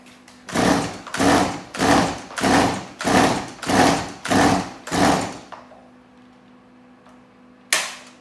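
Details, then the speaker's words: Stihl MS180c chainsaw on full choke: eight rough bursts then dies; fires briefly but won't run, likely not getting fuel; carburettor fault, rebuild kit failed, replacement carburettor fixed it. "um so it is probably the carburetor issue um it did kind of kick for me there which got me a little bit excited but i don't think it's getting any"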